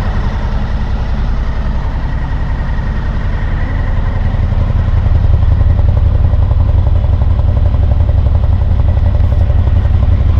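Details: 2000 Honda VFR800, fuel-injected, restricted, on its first start after 6 months standing on old fuel: deep, lumpy idle with an uneven pulse of about three a second. One cylinder is dead with its exhaust pipe cold, so it runs rough on three.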